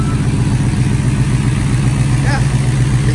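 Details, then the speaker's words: Phoenix turbo petrol, wastegate dumping ahead of the axle, loud Jegs muffler and resonator, after a drive to the post office: deep, even exhaust rumble, no knocks or misses; normal running. "everything's sounds good everything's doing what it's supposed to be doing"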